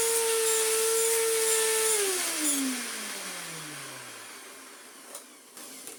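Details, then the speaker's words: Electrolux Z1910 Self Propelled vacuum after restoration, running on a rug: loud, rough, high motor whine with gritty hiss winding down at switch-off; motor sounds terrible, worn motor bearings, post-motor filter pad working loose. "Just sounds terrible."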